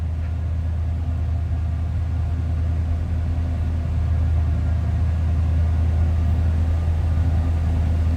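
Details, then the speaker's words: 1983 Chevrolet Monte Carlo SS with a 305 V8 at idle: deep, even exhaust rumble, settled, with no misses, knocks or ticks. A healthy-running engine. "little rumble coming out of that 305 V8."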